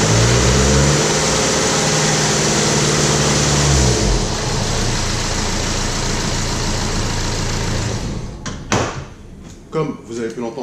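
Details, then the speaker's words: BMW E90 with N47 diesel, stretched timing chain: loud clattering rattle over the idle about four beats a second after start, very noisy at 1500 and 2000 rpm; timing chain rattle. "la chaîne s'est bien détendu donc elle fait un peu de bruit enfin même beaucoup je dirais à 1500 tours minute et à 2000 tours/minute"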